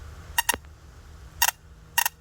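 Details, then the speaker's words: MSD 6AL ignition box bench test, battery powered, white trigger wire touched to ground, spark plug gapped about half an inch from ground: sharp dry snaps in quick pairs, three bursts over two seconds; healthy spark, box good. "Alright, so we're just going to hit this white wire here on the ground, and then you should see a spark from the spark plug to that little ground"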